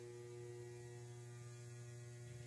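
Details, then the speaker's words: DIY 120 V one-to-one isolation transformer on a variac: at about 112 V the input draws about 2 A, then 4 A, and it hums hard, a strong steady mains hum with a buzzy edge; owner may add windings. "It's really starting to hum. 4 amps there. Wow."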